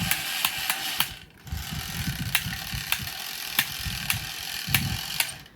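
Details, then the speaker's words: Echo Classic G-scale model steam locomotive: sharp clacks about every half second over a soft motor whir, tracking the running gear; an awful clacking from the drive under investigation. "But the only reason why I wanted to have a look at it is because it's making this awful clacking noise that you can probably hear."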